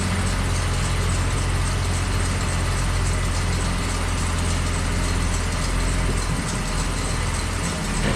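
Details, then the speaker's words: Slammed ice cream truck, first start on a chilly day after sitting outside through a Michigan winter; block found not frozen: deep, steady low rumble, even idle, no knocks, misses or hunting; normal idle. "Alright guys, now that we've figured out that somehow we got lucky and the block did not freeze, it's time for a few upgrades."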